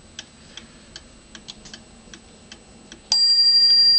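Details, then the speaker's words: 1907 Gilbert tambour clock, hand moved round to the half hour: even ticking at two to three beats a second, then one clear bell stroke for the half hour; strikes properly. "It rings the half hour and then comes the main hour. It works great."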